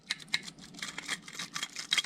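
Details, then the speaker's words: Needle-cage roller bearing on the crankshaft of a 125 motorcycle engine, removed from the crankcase and spun by hand: irregular dry high tinny clicking and rattle, play in the bearing, noise already heard when bought; worn needle bearing. "on sent quand même qu'il ya un petit bruit on va pas se mentir un petit bruit de villo écoutez moi ça roule c'est quoi le truc de ouf et en fait c'est tout le roulement qu'il ya dedans là le rouleau là"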